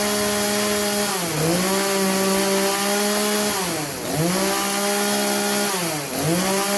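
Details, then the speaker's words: Craftsman chainsaw, after the carburetor high-speed jet was turned about three-quarters clockwise: it holds a steady high buzz, dips briefly into wood and recovers cleanly. Normal high-speed running after the fix for bogging under load. "anyways that you could hear the difference in it running high speed prior to and after"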